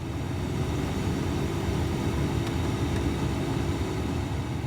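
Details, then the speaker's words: 240K-mile Ford Raptor air conditioning blower, run on low, medium and high: smooth, even low whoosh with no squeal or rattle; blower working normally and now adjusts speed on auto. "it works listen to that turn all the way down medium and high man I'm I'm I'm loving it"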